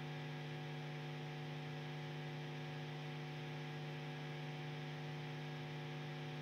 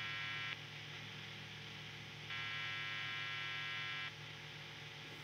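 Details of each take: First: Two guitar amplifiers connected through the whole guitar rig, nothing playing: steady low electrical hum with a buzzy edge, unchanged throughout; ground loop hum between connected amps, before a Morley Hum Eliminator. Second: when I spin up a guitar like this, it's a guitar, on singles we get these types of noises that are completely normal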